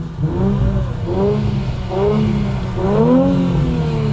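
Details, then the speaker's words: Infiniti Q50 on a POV drive: engine pulls up through the revs in rising sweeps with crackles on throttle lift between pulls; normal exhaust pops, nothing mechanical. "you hear them pops, boy? Of course it sounded good."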